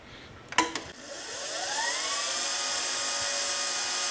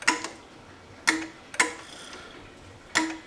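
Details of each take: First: 2018 Permobil F5 wheelchair drive motor after brush housing cleaning, commutator sanding, oiling and brush facing: rising whine, steady high hum, wind-down; sounds happier but one motor remains significantly louder. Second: 2018 Permobil F5 wheelchair motors after cleaning brush housings, sanding commutators and lubrication: four crisp clicks about a second apart; motor brake engages and releases cleanly, normal.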